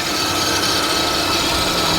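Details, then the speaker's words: Infiniti QX56 from Copart, hood open at idle; loud steady scraping rasp over the idle like a dry pulley or pump bearing on belt drive; water pump, idler or tensioner suspected, unconfirmed. "Well, you can definitely hear that noise. I think it could be a water pump. It could be an idler, a tensioner."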